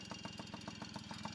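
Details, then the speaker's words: Yamaha PW50 two-stroke after oil leak work, warming up: uneven idle thumps about seven per second sagging and recovering, bogging down; cause not confirmed; rough idle. "I'm going to adjust the idle it's kind of bogging down so so I'm going to mess with the idle down"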